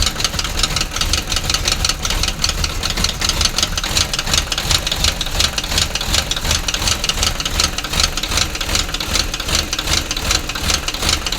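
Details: Fast, uneven engine knocking, about two to three per second, over a running idle with a sharp, clattery top end; cause unclear.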